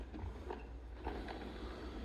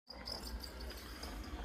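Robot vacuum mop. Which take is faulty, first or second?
second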